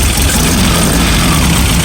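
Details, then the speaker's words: Engine idling right after a start from the rear starter switch by the oil cooler, with the fuel pump on and oil kept half a quart low; steady, even low rumble with no knocks or misses. Normal idle. "We're running."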